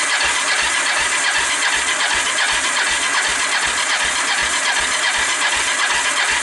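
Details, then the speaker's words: Fire-damaged Kawasaki Bayou 300 ATV single, valves adjusted, choke open, no-start: quick even starter churn with little compression drag; dry compression test reads about 60–65 psi, low compression. "i've just gone back to the compression test remember was coming in somewhere around 60."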